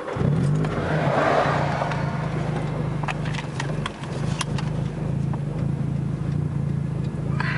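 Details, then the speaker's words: 2006 Nissan Sentra SE-R Spec V, built head, cammed, Uprev tuned, on reflashed map 3 meant to fix random dying at idle in neutral; broken flex pipe: steady even low idle hum, no hunting; fairly decent idle. "Has a fairly decent idle."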